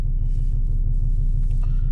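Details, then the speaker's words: 2005 Volvo XC90 2.4 D5 diesel starting quickly in the cold after new glow plugs, where before it would not start. Low, steady rumble with even beat, no stumbling; smooth cold idle. "This wouldn't even start, this car. It was nowhere near this temperature. It starts very quick."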